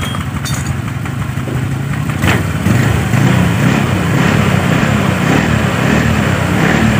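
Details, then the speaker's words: Honda Vario scooter after its rear drive components were reassembled. Some clatter, then an even, steady idle; the earlier tak-tak knocking at low rpm and on throttle is gone. Normal idle after the judder fix. "iya Baiklah jadi untuk di bagian sini bisa teman-teman dengar disini sudah tidak ada suara tak tak tak tak tak saat RPM bawah saat sedang stansioner ya"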